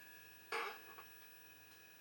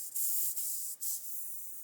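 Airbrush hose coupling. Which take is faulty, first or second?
second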